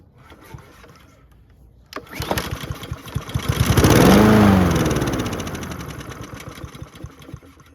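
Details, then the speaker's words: Husqvarna HU700H mower with Honda GCV160, sat 3+ years, carb cleaned, auto choke open: pull-start catches, revs briefly, then stalls within seconds. Starts then dies; suspected fuel-related, not confirmed. "Okay, so that means it's fuel related. We did a pretty good job on the carb. I'd be surprised if that's clogged again."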